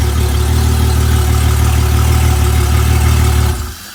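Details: Honda 250HP outboard on a 21ft boat, which had failed to start because of a missing battery ground. Once a jumper cable supplies the ground, a deep, even rumble holds steady for over three seconds and then cuts off cleanly, with no misses or knocks. The fix is to clean the ground connections.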